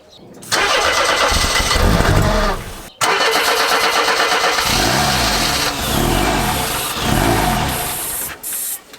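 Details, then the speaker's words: Barn-find Mercedes W123 230E, fuel-injected, first start attempt after long storage: starter churns, engine catches on Easy Start spray and runs rough a few seconds then dies; timing and compression seem fine. "It runs on the easy start, it's just not kicking through. Crank it off and on again one more time."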